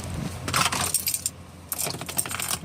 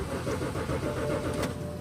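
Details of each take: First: 2007 BMW X5 six-cylinder on a 20°F cold morning, after fuel pump relay heating fix for cold no-start: keys jingle, brief crank, catches straight into a low, steady idle; normal start. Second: 2007 BMW X5 on a cold morning, about 20°F: starter churns steadily for two seconds but engine never catches; crank no start from failed fuel pump relay in rear passenger-side fuse panel.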